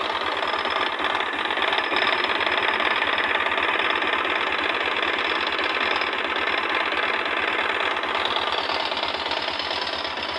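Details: Honda NX-400 Falcon idling: busy, fast top-end cylinder head clatter only when leaned left on the side stand, fading when upright; cause unknown.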